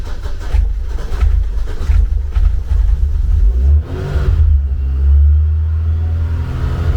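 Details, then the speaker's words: Engine first fired in nearly 2 years after waiting on manifold machining and heater hose repair: deep note hangs well above normal idle at about 2500 rpm and wanders rather than settling; idle too high, may need tweaking; coolant overheat warning followed. "Yeah. So, idle's about 2 and a half grand at the minute. That may need a bit of tweaking, but um yeah."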